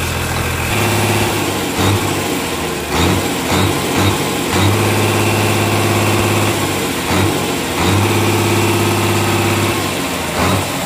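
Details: Komatsu S6D125 diesel test run after general overhaul (crankshaft, liners, pistons, conrods, bearings renewed; turbo, pump, nozzles serviced): deep, steady running, revving up and settling smoothly, no knocks or misses; healthy.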